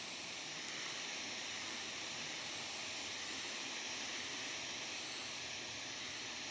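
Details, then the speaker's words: FM radio at night on an empty channel: a loud, steady hiss far stronger than normal static; the interference rises at night, and nearby LEDs, solar inverters or fibre optics are suspected as the source. "Agora, veja como aumenta muito o ruído, a interferência durante a noite."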